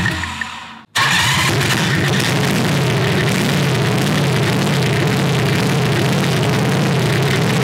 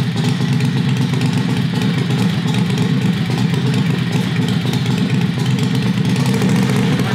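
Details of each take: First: Predator 670cc V-twin dragster go-kart with new homemade header, running 95-octane Sunoco Optima: starts after a pause, settles into steady, deep, even idle with no misses, exhaust rattling a bit; normal idle. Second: Predator 670cc V-twin vintage dragster go-kart with a newly made conduit header, no hanger yet. A loud, deep note with a loose, uneven clatter from the unsupported exhaust rattling; it needs a hanger.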